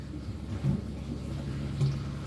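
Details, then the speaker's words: Pump for a snapping turtle tank, tested after draining: low steady motor drone with gurgling, no solid flow; struggling to pull water, possibly air or something stuck, to be tried with hose. "Trying to suck. It's trying to. Still no good."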